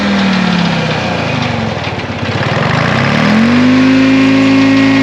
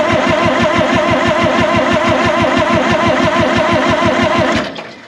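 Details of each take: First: 1960 John Deere 440 backhoe's supercharged 2-53 Detroit two-stroke diesel, once frozen after years sitting: brief stumble, then a steady even drone with clean constant pitch; good oil pressure, normal healthy running. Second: 1960 John Deere 440 backhoe, supercharged two-stroke Detroit 2-53 diesel, sat for years and was seized; new fuel-water separator filled with ATF to bleed fuel. Cranks about three even beats a second for five seconds, never fires: no start.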